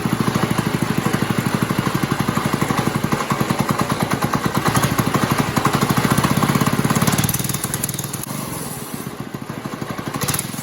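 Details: New Liffin-brand Chinese go-kart engine swapped into a Moto Monster go-kart, first start: steady quick popping beat from the small single-cylinder, even and unbroken with a slight dip near the end; runs normally.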